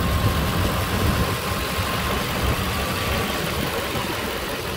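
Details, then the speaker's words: 2005 Nissan Armada SE, 5.6 liter V8, idling: deep, steady, even beat with no knocks or ticks; owner reports no leaks and no oil use; healthy normal idle. "i need to get new hood struts that is one thing i need these hood struts are toast listen to that big 5.6 litter mother"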